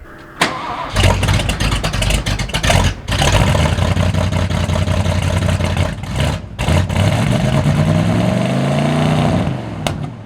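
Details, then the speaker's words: 1979 Ford F150 with modified 351, long abandoned, smoky restart attempts: cranks and catches, then rough, stumbling beat as revs rise and fall, not firing on all cylinders, briefly clears then shuts off; owner suspects clogged carburetor or weak fuel pump. "it's definitely not running on all the cylinders all the time. But then it kind of clears up and does for a couple seconds, then it shuts off."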